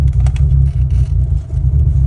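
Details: 2004 VW Jetta wagon 1.8T driving with the boost gauge fluctuating wildly: a deep engine drone broken by uneven pops and stumbles. Later it bucks, hesitates and won't hold idle.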